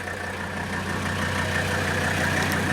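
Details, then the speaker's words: 1984 Mercedes 300D, 3.0-litre turbocharged five-cylinder diesel, well-maintained original car: steady, even diesel clatter with a low drone, no misses or knocks; healthy normal idle. "so you can hear the car running there's the beautiful diesel sound"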